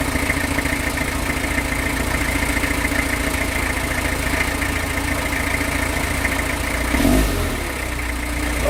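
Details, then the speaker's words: Long-stored old truck kept alive on sprayed WD-40 and lighter fluid as starting fluid: stumbles and surges unevenly under throttle blips. It sounds a little better, with knocking less than earlier. "that sounded a little better, didn't it? Maybe I should keep spraying the thing."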